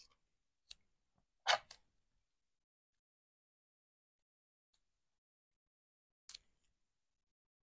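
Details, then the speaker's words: Home radiator clicking as it cools back down to the set temperature: a few sharp, isolated clicks at irregular gaps in a quiet room, normal contraction ticking. "pas les claqu qu'on entend c'est mon radiateur qui redescend en températureet à la température voulu"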